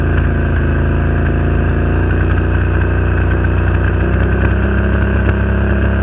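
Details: Renegade 1000 V-twin at loud low idle with a slightly uneven, stumbling beat under the drone: misfire, cause unknown.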